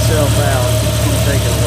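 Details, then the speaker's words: Jeep XJ with newly fitted hydraulic-assist steering, lines just primed with fluid, system now holding about 3 quarts: engine idling with wavering moan from power steering pump as air bubbles work out of fluid. "so yeah it's still making air big time it'll work itself out I'm going to let it idle"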